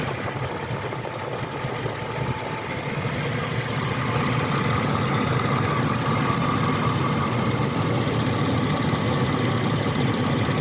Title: Engine Bay Ticking Noise - 1998 Chevy C1500 5.0L V8 102,000 miles